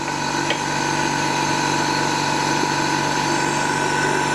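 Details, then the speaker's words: Ferrari 512 BBi flat-12, leak-down test on cylinder 12: continuous steady air hiss with faint compressor hum, air escaping through the exhaust side, later heard at intake; valve leakage suspected, not confirmed. "you can really hear that coming out now can't you yeah that's coming and that's going right down this list zero that's that's the exhaust that's exhausted right"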